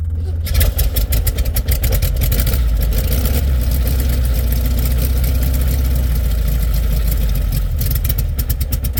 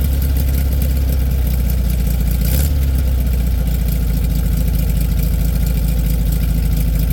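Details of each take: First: 1967 VW Beetle cold start at about 8°F, pumped before cranking, battery a little low: heavy, labored cranking catching into loud rough cold idle; slow cranking, low battery suspected, possible generator problem noted. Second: 1967 VW Beetle air-cooled flat-four idling after a cold start in about 8°F, battery a little low: deep, steady drone with even firing rhythm, no misses or rattles; good normal cold idle, possible generator problem noted.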